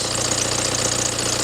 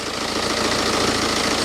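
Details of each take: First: BMW with about 190,000 miles, warm idle on ramps: thin steady high-pitched chirp over even idle; owner first suspected the water pump, but WD-40 on the non-original serpentine belt stopped it immediately, so the belt is squeaking. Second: BMW with nearly 190,000 miles, after WD-40 was sprayed on the non-original drive belt: steady even idle with no chirp or squeal over it; normal idle, squeak gone, so the belt was the squeak source.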